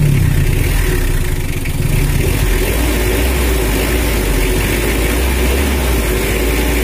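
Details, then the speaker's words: Brand-new Mitsubishi L300 diesel after power tuning from factory settings: deep, dry but not harsh note that climbs cleanly with throttle and follows the pedal without lag; crisp, healthy engine. "dan ini adalah suaranya udah kering tapi tidak kasar dan bertenaga juga khasnya udah kontan kalau pedal dikasih itu mengikuti irama mesin itu mengikuti pedal gas jalur nggak telat kayak tadi"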